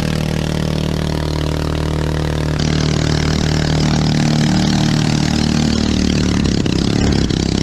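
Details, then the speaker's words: 212cc 6.5hp Honda-clone four-stroke driving a homemade jet unit on a river, revving out without reaching plane: loud, high-revving uneven spluttering beat rising and falling; engine sounds worn out, gearing also too low. Engine spluttering. "because as you can hear on that one i was spluttering and carrying on it's it's just done"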